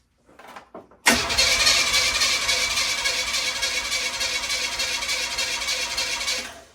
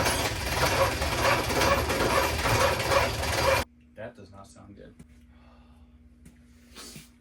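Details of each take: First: 1981 Oldsmobile Cutlass, new starter just installed, engine possibly blown: strong, quick, even cranking about three turns a second for five seconds, no clicking or dragging; immensely better, starter sounds healthy. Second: 1981 Oldsmobile Cutlass cranks laboriously about two turns a second for three and a half seconds without catching, after rebuilt starter with new drive unit and solenoid on old body and nose cone; pieced-together starters no better.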